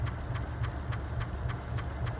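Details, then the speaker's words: Hunter C-18 ceiling fan with light kit removed, running on a newly added single-speed on/off switch, much quieter; crisp even ticks about 3.5 per second over low motor hum, likely a slight tracking issue with one blade. "So, using the switch, here it's much quieter. There still is a slight"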